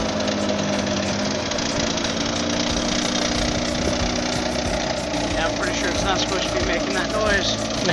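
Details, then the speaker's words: Eclipse engine idling: rapid heavy knock in time with the crank, loud and persistent; others suggested rod knock, unconfirmed, knocking noise at idle. "The first thing that's gonna be worked on with the car is the rod knock. I'll just have a clip of it here."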